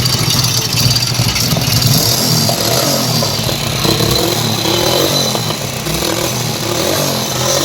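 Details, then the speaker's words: Hero Splendor Plus single-cylinder motorcycle: loud, busy mechanical clatter and sharp metallic top-end rattle rising with revs. Worn cylinder bore needing reboring and a worn timing chain needing replacement. "Engine में इस तरीके से sound आ रहा है बोले तो हमें first आके इंजन ओपन कर लेना पड़ता जो भी प्रॉब्लम है इसपे आ के अच्छा वाला ले और इस बाइक को आके बोर कराना पड़ता और टाइमिंग चन वाल्स गट पूरे चेंज करना पड़ता"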